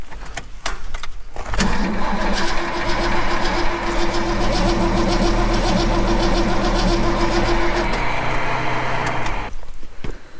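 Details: XF Falcon ute with 351 Cleveland V8 during compression testing, about 125 psi on cylinder four: steady starter cranking, even chug about three times a second, no firing; engine turns over but never catches.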